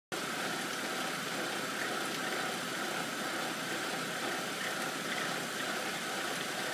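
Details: 2007 BMW 328i N52 petrol engine idling cold with a dense buzzy rattle/vibration over the running sound, only at idle and easing once fully warm; otherwise runs fine, cause unknown.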